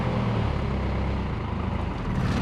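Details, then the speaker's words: Cold start of a 1986 Toyota FJ60 with NH55F 5-speed, out of gear, no smoke: deep, slightly uneven rumble as it dislikes idling when first started, turbo whistling faintly, oil pressure showing; unstable cold idle. "It really does not, for whatever reason, like idling when it first starts running."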